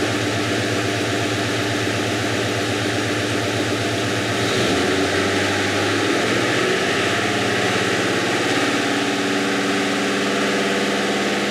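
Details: Coil-on-plug V8 runs with a known-defective ignition coil installed on one cylinder to deliberately trigger a misfire code. Lumpy, uneven idle, misfiring on that cylinder, later read with a portable OBD II scanner.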